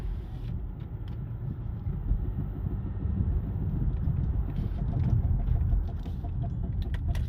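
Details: 2009 Dodge Journey rolling slowly after brakes were done by a relative: low rumble with loud, irregular clunking knocks; both brake caliper bolts were found missing. Owner had suspected axle noise; the axles were recently replaced.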